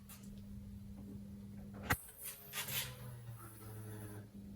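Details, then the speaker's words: Honda B18 spares-or-repairs race engine bought on eBay, reportedly high compression with SRS Toda replica manifold and Skunk 2 Mega Power system, first start attempt: steady low electric hum for about two seconds before cranking, fuel pump priming the rail normally. "You can hear the fuel pump. That's fuel pressure on the rail."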